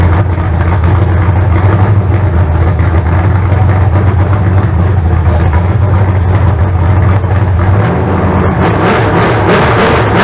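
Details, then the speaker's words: Freshly built 388 small-block Chevy (406 heads and intake reused) first fire-up with bump starter, throttle worked by hand: loud even V8 rumble, throttle change near end, no knocks or ticks; good oil pressure, about 160 degrees, running fine. "all right chris's motors i got all my electrical stuff took off of it she's fired up run everything seems to be fine so good oil pressure got it up to about 160 degrees"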